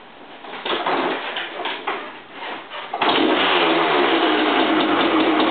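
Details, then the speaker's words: 1985 Honda CR500R two-stroke after three-week rebuild, first start: a few uneven kicks, fires at about three seconds and settles into a steady crisp idle; sounds good. "Fuck, it sounds good. 3 weeks of labor. Didn't miss."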